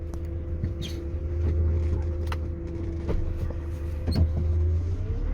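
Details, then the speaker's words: GAZelle Next with newly installed Evotech 2.7 engine: strong knock into the body at start-up and shutdown, occasional dull clunks over engine drone on bumps and quick take-off; owner first suspected flywheel or gearbox, cause a loose cab body mount near left wheel. "при запуске и когда глушит двигатель очень сильно бьет в кузов"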